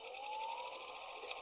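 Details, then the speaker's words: EEW 5.1 spinning machine with motor deliberately moved out of alignment: steady hum sliding up in pitch under a hissy scraping rasp as the drive belt rubs; intermittent, and too far misaligned pops the band off; fix is aligning the motor. "so there now we're kind of getting that scraping noise it doesn't always happen but sometimes it does"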